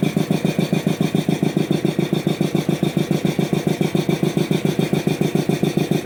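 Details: Old DeVilbiss 445 compressor being reassembled, run briefly without its low-pressure inlet air filter; the motor, unused for years, makes a strong, very even pulsing at about 3.5 beats a second over its drone and sounds off, cause unclear.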